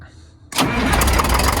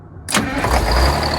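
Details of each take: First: Detroit 6V92 diesel in an MCI bus conversion, cold start despite block heater: catches into rough idle with sharp higher-pitched ticking from a partly lost exhaust manifold gasket leak. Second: Detroit 6V92 diesel in an MCI bus conversion, still warm, after replacing the exhaust manifold gasket: it cranks briefly, fires within a second and settles into an even rumble with no ticking from the manifold leak. Normal start.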